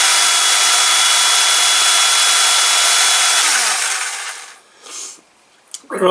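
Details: Ozito DBS-095 drill bit sharpener, a couple of years in use, grinding normally: steady high gritty grind with a faint constant whine for about four seconds, then it spins down. The over-ground bit is only starting to sharpen at the leading edge.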